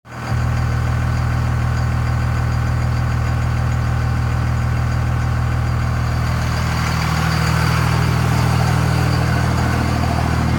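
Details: 24-valve Cummins diesel after a bad injector was replaced; smooth, steady idle with an even beat, no obvious miss or knock, all cylinders seem to be firing: normal idle.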